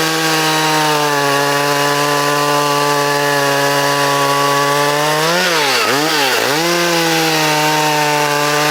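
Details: Vintage Poulan Wild Thing two-stroke chainsaw, completely stock with safety chain, unmodified muffler and air cleaner, freshly sharpened chain and tuned, in a timed log cut: a steady high-rev buzz sags briefly in the cut and recovers cleanly. A healthy saw.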